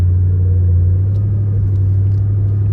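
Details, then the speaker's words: Turbo Ford Crown Victoria V8 on its first ride out after SCT X4 tuner trouble, stock MAF sensor refitted: deep, steady rumble while cruising with no stumbles or hiccups. Normal running. "we rolling. No hiccups."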